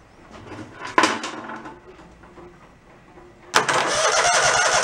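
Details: Mid-90s Toro Wheel Horse riding mower after restoring fuse power: a quiet clunk, then the engine catches at once and settles into an even, steady run with choke off.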